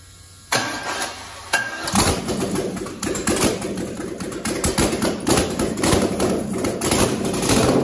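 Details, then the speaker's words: Rebuilt aluminum 5.3 LS (turbo, 2014 Dodge Grand Caravan RWD manual conversion) first start: cranks, catches, stumbles with uneven popping idle, won't rev; running very lean because tune had 80 lb/hr injector data with 29 lb/hr injectors installed. "so i think i might know why uh well i loaded into tune with 80 pound per hour ejectors these are 29 pounds per hour never really thought about that"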